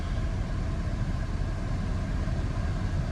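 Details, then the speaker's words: Auction car at a Copart yard on a hot day (about 80°F): after the RPMs come down, the warm engine settles into a low, smooth, even idle with no stumble and no check engine light; normal warm idle. "and the engine has smoothed out. And no check engine lights."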